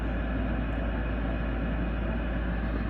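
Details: Garage heater after clearing pressure switch tubing and cleaning the inducer motor port: steady, even low hum with no pulsing, scraping or rattle; draft inducer fan runs smoothly before the heater fires.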